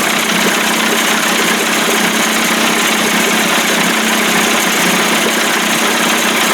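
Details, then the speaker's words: 1989 Johnson Tracker 25hp two-stroke outboard, first start, pumping water, before warm-up and carburetor adjustment: steady, even buzzing idle with no misses, knocks or surging; started right up and runs smoothly. "it warm up a little bit adjust that carburetor man started right up sounds good"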